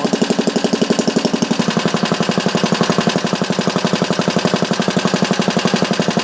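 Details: Small engine clamped to a bench on a temporary gas tank, test run through a newly cast muffler with a baffle sandwiched in: fast, even exhaust pulses with a steady beat, no misses or knocks; normal running.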